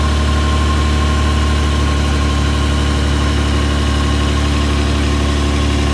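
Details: Lexus LX450 at idle, deep steady rumble with a puffing tick about four times a second; exhaust leak.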